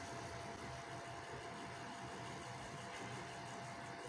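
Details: Cooler fan on a recovered Foxconn LGA775 DDR2 motherboard that had been freezing, noisy and vibrating: now a quiet steady airy whoosh with faint constant hum, no rattle or wobble; spinning smoothly.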